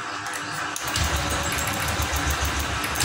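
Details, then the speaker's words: Honda Scoopy FI scooter with a Vario 150 injector fitted, its leaking top seal swapped: it catches, then sputters unevenly about three beats a second, won't keep running, and the injector is suspected not to match. "Di sini masih tetap sama. Masih berbet Pak ya, tidak bisa nyala, masih ngempos."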